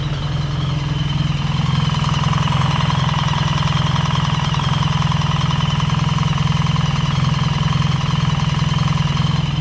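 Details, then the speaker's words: BMW R 1300 GS boxer, right side after dealer valve clearance adjustment (clearances had shifted after run-in; cams and timing chains fine): even, steady idle with no ticking or rattle, formerly metallic noise gone; sounds perfect. "and as you can hear sounds absolutely perfect"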